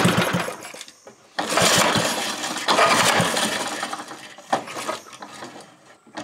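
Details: Briggs & Stratton 5HP engine, freshly converted from points/condenser to electronic ignition, good blue spark: fires in ragged bursts, surging and dropping out; uneven hunting run, owner suspects carburetor issue.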